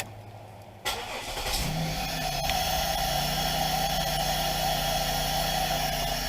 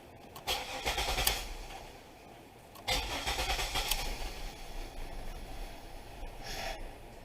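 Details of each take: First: 2000 Pontiac Bonneville after ignition switch replacement: quick crank, engine catches at once and idles smoothly; tapping the new switch no longer cuts it out, a confirmed fix for the intermittent stalling. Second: 2000 Pontiac Bonneville with intermittent stalling, all connectors attached: tapping the ignition switch with a screwdriver makes the engine surge and flutter in uneven bursts, sagging until it nearly dies; faulty ignition switch cutting power (crank sensor replacement hadn't fixed it).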